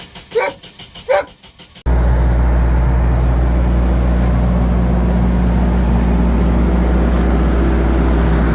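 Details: Generac standby generator at 5-10°F during scheduled exercise: long crank with steady churning, no start, draining an old dying battery; root cause low fuel pressure from a stiffening fuel regulator diaphragm, found via log and troubleshooting.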